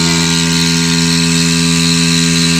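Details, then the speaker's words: Philips Perfect Draft beer tap repaired by replacing capacitors; keg sensor triggers and the pump starts with a steady, even electric whir and low hum, no knocks; running normally. "Parfait. Et voir si la pompe elle se met en route."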